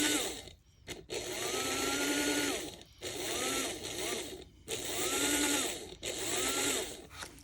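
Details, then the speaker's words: After-repair test of a Varney 2-8-0 Canadian Pacific Consolidation model locomotive that had hummed but wouldn't move. A wheel had rotated too far and misaligned the side rod, now corrected. Motor whine rises and eases in repeated runs with short pauses, smooth with no grinding. Running well. "should also run a bit better now that I've uh corrected that so let's see what happens now when I hook up the power and everything's"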